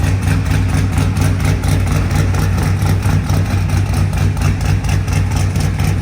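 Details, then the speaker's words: Same truck engine after a newly welded exhaust replaced the open headers: a deep, steady V8 idle with an even, burbling beat and no knocks or misses. It runs normally and sounds much better than on open headers. "that sounds much better than open header I agree"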